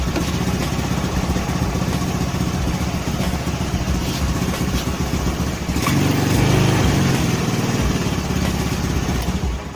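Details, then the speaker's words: Honda Spacy/Beat carburettor scooter idling before repair; idle surges up and sags back slowly instead of holding, hunting from dirty carburettor and misaligned vacuum diaphragm. "Oke jadi gasnya besar kecil ya naik turun naik [Musik] turun baliknya pun lama"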